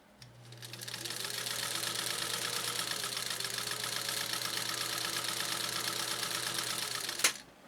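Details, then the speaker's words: Japanese-clone 1.0 amp "Midwest" vintage sewing machine stitching material at about 12 stitches per inch. Fast, even clatter of needle and feed over a constant low motor hum. Normal, smooth stitching. "All right, and give a listen to this machine so you can appreciate the fine engineering built into this Japanese clone."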